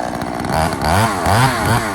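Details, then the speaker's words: Poulan 3000 chainsaw after service, fresh fuel mix, air filter cleaned and low speed adjusted: crisp two-stroke buzz rising and falling cleanly through throttle blips; runs healthy. "so there you guys have it. So there was really no issue with it running."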